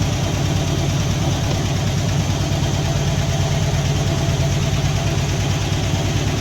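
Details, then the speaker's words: Poly 318 V8 in a 1964 Dodge D300 at idle, smoking from leaking valve cover gaskets: steady rumble with faint fast lifter clatter on top and a slight stutter. "so it's got a little bit of a stutter to it you can hear you know you can hear some clickity clacking from the lifter [Music]"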